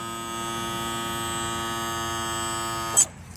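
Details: 2000 Johnson 115 outboard trim/tilt motor, the one that had been repaired: steady, even electric hum at constant pitch for about three seconds, then a clean stop; the sound a healthy trim motor should make.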